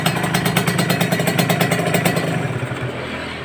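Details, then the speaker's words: Kawasaki Ninja RR two-stroke, reportedly already bored/sleeved, overheating with suspected blocked empty radiator and weak power: uneven rough beat around three firings a second, then fades; harsh running, scored cylinder bore. "ini setelah saya hidupkan dari segi suara agak kasar ya padahal sudah tanam boring sih katanya"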